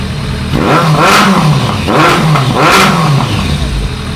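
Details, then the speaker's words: 2001 ZRX1200R carbureted four-cylinder after carb sync: revs surge and stumble, breaking up under higher throttle; cause found to be missing bolt sealing rear air box to front air box (intake air leak). "I don't know why it sounds like she wants to break up under higher throttle. That does not make any sense to me."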